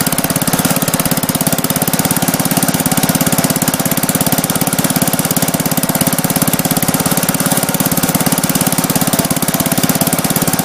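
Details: Gravely Commercial 10A with rebuilt Kohler single-cylinder (new governor cross shaft and gear, crank ground 10 under, new piston, rings, rod, gaskets, light hone), first start with snowblower attached: crisp, even, steady beat, no knocks or stumbles; healthy normal running.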